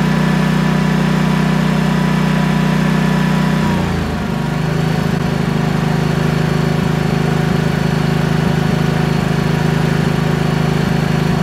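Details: Briggs & Stratton-engined Vanguard 10,000 W generator, after repair for surging and smoke, refilled with ethanol-free gas: small engine settles after a brief governor dip near four seconds, then holds smooth, even speed without hunting or surging; running fine.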